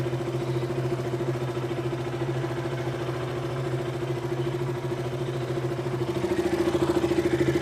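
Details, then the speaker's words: KTM RC 200 single idling after the loose part was reseated: a steady, even thump that holds its speed without hunting or dropping out. Before, the idle would not hold and the bike stalled. "ഇപ്പോൾ RPM വേരിയേഷനൊന്നും കാണിക്കുന്നില്ല സ്റ്റാർട്ട് ചെയ്തിട്ടും. ഇതിന് മുമ്പ് RPM നിൽക്കുന്നില്ലായിരുന്നു പ്രോപ്പറായിട്ട്. Variation issue ഒന്നും കാണിക്കുന്നില്ല."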